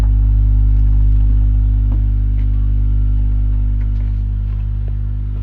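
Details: Boiler humming (гудит котел), owner testing with the damper (шибер); loud, deep, steady organ-like drone on a few low notes that eases off slightly, cause unclear.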